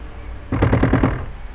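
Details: 2020 Toyota RAV4, key on, blower on high: short burst of rapid hard rattling clacks as the fan tries to spin; blower motor packed with rodent nesting material and acorns, cabin filter chewed through, motor failed after making noise.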